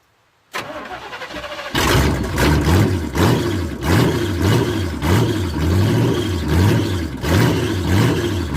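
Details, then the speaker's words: Squarebody truck with Summit 1103 cam, Edelbrock Performer aluminum heads, Super Victor intake with 2-in spacer, 600 CFM carb: choppy lope with sharp puffing ticks each beat, sounds like a tractor; exhaust leak where header flanges rotted off at cylinder head. "I got to change these manifolds or these headers cuz the flanges on the cylinder head are rotted off where the they're welded, where they meet to the head. And it sounds like a tractor."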